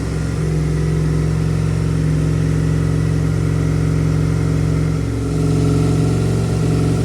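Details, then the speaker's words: 2002 Aprilia RSV V-twin barn find, stored 8 years, after clearing water-contaminated fuel and cleaning injectors, with a new larger battery: fires up into a deep, even beat with a slight rev lift, no misfire, knock or rattle, no fuel leaks. "so there we have it boys and girls she fires into life I was checking around it no fuel leaks obviously we got the nice big battery in there"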